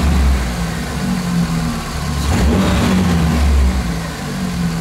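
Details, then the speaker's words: Engine idling after diesel-fuel flush of oil to cure hydraulic lifter knock, run over 10 minutes: steady even idle with gentle rev, no top-end ticking; lifter knock seems gone. "гидриков уже вроде бы пропал он не появляется работает над на но все получается"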